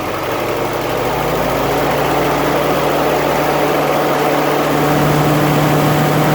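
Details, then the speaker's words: 1946 Willys CJ2A flathead four-cylinder Go-Devil engine, original 6-volt system, cold start after sitting nearly a month; starts right up into a low steady idle about four beats a second, even, no tapping; normal idle of a tuned engine. "so that is how a jeep should run when they're tuned up when they're when everything's right they should just crank right over and start right up like that"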